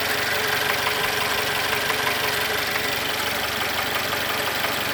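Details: Mercedes M274.920 engine at idle: a steady, regular knock about three times a second over the idle. Connecting rod knock.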